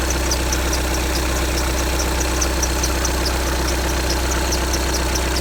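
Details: 2015 VW Tiguan 2.0 TDI 150 BMT, 34,000 miles, cold engine idle: sharp high chirp repeating fast and regularly; lasts a minute or two then goes quiet, source unknown.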